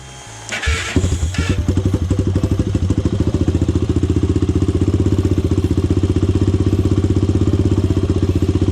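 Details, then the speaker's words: Honda 400EX ATV single, first start, high cam and high compression, unadjusted carburetor: catches after short crank, then fast slightly uneven chug about four pulses a second; running rough, carburetor needs adjusting. "all right guys i'm saying this yourself i didn't got this thing started up now i'm gonna have to uh not to mess with this carburetor something"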